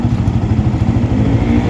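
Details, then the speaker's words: Yamaha R15 (older model) with aftermarket injector, stock exhaust refitted, after fixing rich-running stumble: quick, even single-cylinder idle with no stumbles or hunting, now normal, up from a heavy 1,000–1,100 rpm rich idle; normal about 1,700–1,800 rpm. "อันนี้คือรอบเครื่องปกตินะประมาณนี้ตอนแรกมันอยู่รอบเครื่องมันต่ำลงมา1,0001,100ประมาณเนี้ยแล้วก็เดินเบาหนักมากตึ๊บตับๆๆๆ"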